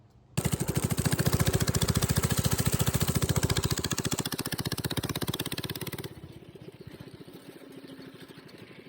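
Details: Coleman CC100x minibike after brake and wheel work: small single-cylinder thumping at a steady fast beat, even and clean with no knocks, then easing down. The engine runs fine.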